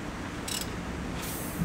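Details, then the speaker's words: Ford small-block 302 turned slowly by hand at the crank bolt: two short soft hisses as air escapes near top dead center with both valves closed on the compression stroke; normal, confirms cylinder one TDC. "And also notice you're gonna hear like a hissing noise when I get closer to top dead center. Both of our valves are closed at this point. It's getting ready to become compression stroke. Hear that hiss?"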